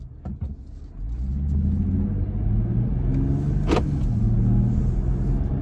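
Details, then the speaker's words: Jeep Gladiator pulling away from a stop from a relatively cold start, owner chasing an intermittent front-end noise: deep engine rumble building smoothly with no buzzing or rattling this pull; noise did not occur here. "Didn't really do it there, so let me stop."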